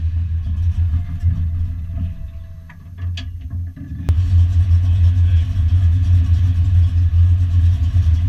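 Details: Foxbody Mustang V8 notchback on Holley Terminator X EFI and custom wiring, after idle screw and fuel table tweaks, warming up: steady low idle rumble, a few clicks midway and a level jump, keeps running evenly.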